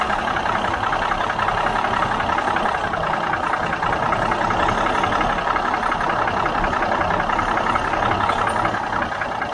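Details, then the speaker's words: 1977 Mack R-model diesel truck: starter turns it over at a steady, slightly uneven rhythm, about three beats a second, never catching; fuel pressure thought plentiful, cause unknown. "nothing we got other problems I think we're getting plenty of fuel pressure now we're not leaking near the fuel around that"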